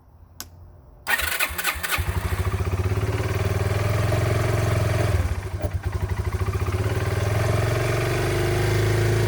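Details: Yamaha Breeze 125 (Grizzly 125) quad, first start after two years in storage, fresh fuel and choke on, slight fuel leak: dead quiet, a few cranking pulses, then the single catches and settles into a steady, even putter; normal start and idle.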